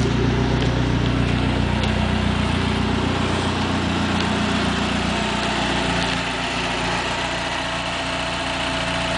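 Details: 1995 Dodge Neon ACR with a complete 2004 SRT-4 swap (engine, transmission, PCM, fuel system, harness), startup and idle: steady, even, smooth low rumble with no knocks or misses; normal idle.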